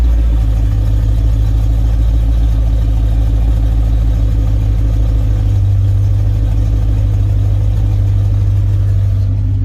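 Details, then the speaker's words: Chevy Caprice LT1 V8, cold idle, O2 sensors unhooked, old Super 40 or 44 dump mufflers: heavy, uneven low rumble with faint puffing under it; exhaust leak. "But said it ain't running right because it still got that big old exhaust leak, as well as the O2 sensors not hooked up."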